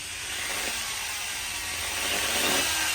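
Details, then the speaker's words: Repaired electric mop with a broken wire rejoined and reassembled: harsh, high-pitched rasping whir that roughens as it runs, with a burning smell; the owner thinks the stator is worn out, not confirmed. "oh it doesn't sound good oh no don't get oh smells burn oh well I think the old mops had enough I think I've worn the stator out"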